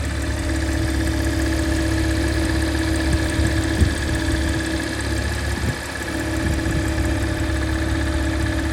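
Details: Porsche Macan S at idle: a steady idle with a faint tone near 300 Hz and a few irregular knocks midway; the source of the strange noise is unclear.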